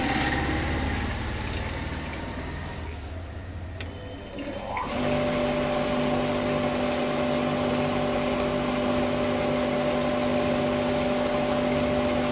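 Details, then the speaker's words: 1 HP water pump motor after mechanical seal replacement with a 16 mm seal, running with no load, sitting on the ground and not fully tightened: smooth, steady hum with slight screw noise; healthy. "यह motor पूरी तरह से fit है, लेकिन खाली चलने के कारण इसमें से थोड़ी सी आवाज आ रही है। इस पर कोई भार नहीं है और हमने इसे जमीन पर ही रखा है।"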